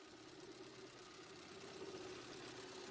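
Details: Opel/Vauxhall Astra H 1.8 with engine light on: a lumpy, uneven idle with irregular stumbles, the airbox shaking; codes show misfires on cylinders 1 and 4 and an exhaust camshaft position fault.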